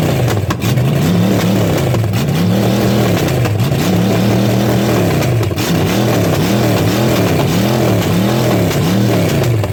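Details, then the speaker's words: Chevy small-block 305 junk engine with carb and distributor, run with no coolant: repeated clean throttle blips about once a second, deep even V8 firing with no misses or stumbles; healthy revving. "it sounds good baby"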